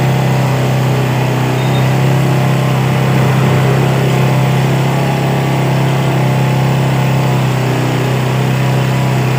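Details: Yamaha Vega R motorcycle after carburetor service for a carburetor complaint, carb reinstalled: steady, even low single-cylinder putter at idle, no misses or knocks; engine now normal idle.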